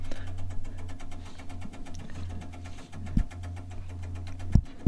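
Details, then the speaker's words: Museum tank-museum vehicle after master switch and ignition on: quick, evenly spaced light ticking over a low steady hum as the electric fuel pump clicks away priming and gets fuel in; normal fuel pump priming. "Hear the old fuel pump clicking away. There we go. There we go. Got some fuel in"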